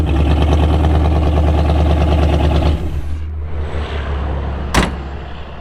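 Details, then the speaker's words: Jeep Scrambler V8 that ran badly after the drive home from Salt Lake: heavy rumble with an uneven rhythmic clatter tied to engine speed before shutting off; bad lifter, bent pushrod and probably flattened cam lobe found. "something happened with the drive or not the drivet train I'm sorry the valve train something sounded horrible bad we'll look into it"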